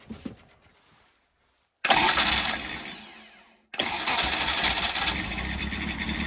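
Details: Rebuilt 1200cc Hillman Imp engine on the dyno during running-in, with a long-stroke crank, longer rods with spacers and a hotter cam with longer valves. It catches within a second, revs freely and falls back cleanly with even firing and no misses; runs normally.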